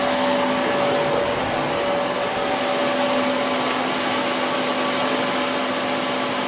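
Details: Hoover Whirlwind Pet WHS2102 001 2100W bagless upright, bought in 2013, on carpet, belt refitted: loud, steady high whine with a constant airy rush, no surging or rattles. The motor and aggressive brush roll are running normally.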